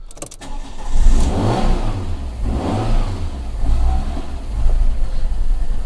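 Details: Fiat 500 with sensor errors (intake manifold air seepage code) after a vacuum sensor change, codes not yet cleared: cranks and catches, then the idle surges and sags unevenly for several seconds; rough running, cause not yet found.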